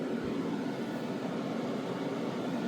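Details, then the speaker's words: New spray booth exhaust fan running with filter pad fitted to protect it: steady, even rush of air, no rattle, scrape or wobble; still pulls strongly enough to hold the pad up, runs smoothly. "I just want to see you can hear it's still running if it's going to protect the fan and if it can still suck the ear in oh it's pretty strong it's holding that"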